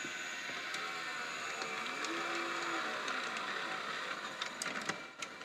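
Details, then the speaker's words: National/Panasonic NV-850 hi-fi stereo VHS VCR in play mode: constant high hiss and whirr with faint irregular ticking and a brief rising tone; head drum bearings suspected wrecked, with winding glue come loose. "wow the heat sounds a bit I think they head bearings are wrecked wow making a racket"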